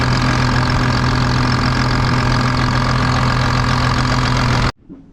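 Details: Rebuilt rollover John Deere 8300 tractor diesel idling during a leak check. A deep, steady idle holds a constant low beat without misses or knocks. Normal, healthy idle, though a reservoir leak appears at the roughly 30-year-old fitting or hose.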